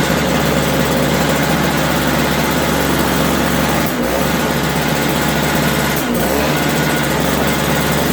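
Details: 3.25 hp 16-inch two-stroke Toro snowblower after carburetor cleaning, first start: even, high-pitched two-stroke buzz at a steady speed with no misses or surging; normal running.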